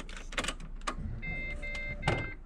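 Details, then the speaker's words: Ford AU Falcon with newly installed Walbro 255 in-tank fuel pump, key-on prime: steady high whine for about a second then stops cleanly; normal fuel pump prime. "fuck, that sounded fast. Lovely. Beautiful. New fuel pump humming away."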